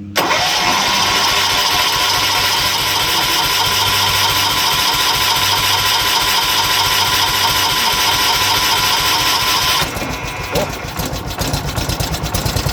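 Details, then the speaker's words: 1970s John Deere 212 garden tractor that hadn't run in years, first start after carburetor bowl cleaned and needle and seat checked, on choke and full throttle: long cranking, catches, then uneven chugging and dies; hard starting, stalls after firing, fuel not yet flowing well. "Yeah, this got to take a minute to get fuel where it needs it. And it may need some choke to keep running if it's not."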